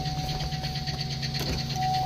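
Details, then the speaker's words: 2009 Chevy Silverado 5.3 V8, 294,000 miles, check engine light on, idling with light, fast, regular ticking from the top of the engine; lifter tick suspected, before adding motor honey oil additive. "Um, yeah, she's got 294,000 with a engine light and a lifter tick."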